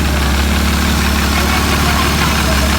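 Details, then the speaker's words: 1994 Ford Probe GT V6 after fitting an MX-6 throttle body with IAC valve to cure a surging idle: a smooth, steady low idle with no surging or fast idle. The owner suspects a misadjusted idle screw was the cause all along. "more surging no more fast idle i actually messed with the idle screw i probably shouldn't have and that was probably the problem all along"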